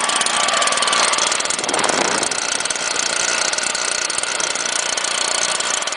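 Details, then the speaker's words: Stihl leaf blower with manual choke and no primer, started on choke then switched to run, holds a steady, even high-pitched roar with no stumbling or surging; it still runs perfectly well. "this one has the manual choke so it doesn't have a primer like from other ones which is a bad thing see still runs perfectly"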